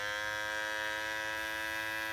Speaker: is how it sounded four months you get for about a month that's how it sounded it was perfect